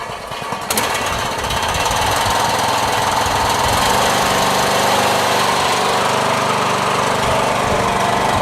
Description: My Poulan lawn tractor runs great in every way, however the muffler rattles due to a loose layer of metal inside that is no longer secured to the inner walls of the muffler.